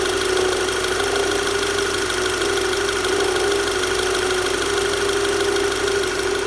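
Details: VW Tiguan engine at idle: an uneven light ticking knock over a steady mid-pitched hum. The knocking is abnormal, with the source unclear.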